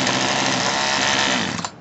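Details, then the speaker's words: Poulan Wild Thing 2375 LE chainsaw after a carburetor and fuel line repair, during carb adjustment: high buzzing revs hold briefly, then sag and bog under throttle; the screw nearest the air filter needs turning counterclockwise. "your chain ain't moving but it could be a little lower idle maybe around there and then it wants to bog down"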